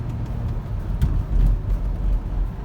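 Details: 2009 Ford Flex driven over a bump on a rocky path after replacing the sway bar link: low road rumble with no loose metallic rattle or clunk, so the link is now solid; the remaining noise is suspected to come from the struts.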